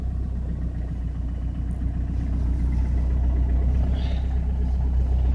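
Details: Citroen C5 diesel, jump-started in freezing winter on summer diesel after repeated failed cranks and an immobilizer fault: starts, steady low diesel rumble with even firing, no knocks or smoke, warming up after cold start. Normal diesel idle.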